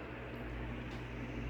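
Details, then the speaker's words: Newly installed Ventisol Fenix 3-blade ceiling fan, wall-switch controlled, at maximum speed in fan mode: low even hum with soft air rush, no ticking or wobble; quiet, normal operation. "Ó, essa é a essa é a velocidade máxima, tá? Do ventilador. Não tá fazendo tanto barulho, ó."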